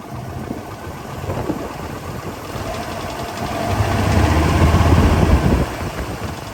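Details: 1999 Ford F-250 with V10, after leaking spark plugs were fixed: steady idle with a light, regular tick about four per second over the rumble. The tick persists; owner removes the oil pan and plans new main and rod bearings.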